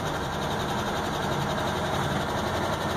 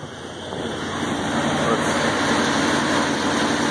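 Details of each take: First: Truck at high idle just after starting, heard from inside the cab: a light, fast engine tick over exhaust-leak noise, before adding about a pint of ATF to the oil as a flush. Stuck lifter suspected, not confirmed. Engine tick at idle. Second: Truck engine at idle after adding about a pint of automatic transmission fluid to the oil to free a suspected stuck lifter; exhaust noise audible, previous top-end ticking gone, valvetrain quiet.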